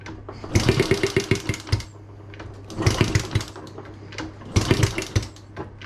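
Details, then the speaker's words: Honda Z50A Monkey bike with a CR70 stator and original flywheel: three short bursts of rapid cranking chuffs that pop but never catch or run on. Fuel starvation at the carb, which also leaks fuel around its sides. "oh nearly hey it popped it pops that's a good sign but we've definitely got a we definitely got a fuel issue somewhere"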